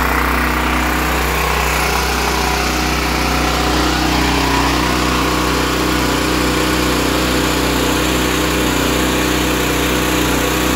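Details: Westinghouse WGEN9500 generator, brand new, after surging/hunting from bad gas was fixed by evacuating the fuel, refilling with fresh gas and cleaning the pilot idle jet: constant buzzy drone holding one pitch, governor steady, no surging.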